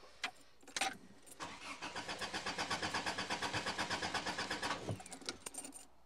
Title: Parking Lot Engine Fail - Crank No Start